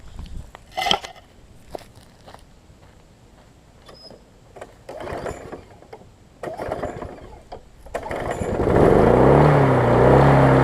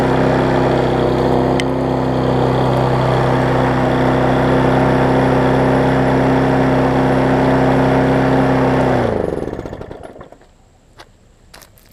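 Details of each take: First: Husqvarna self-propelled mower after service and cleaning, primed and started: after clanks the engine fires and climbs straight to a loud, high, hard-revving run; engine overspeed, throttle set too high, to be turned back. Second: Husqvarna self-propelled mower after turning the throttle down a touch: steady, even drone for about nine seconds, then cuts and winds down smoothly; normal running.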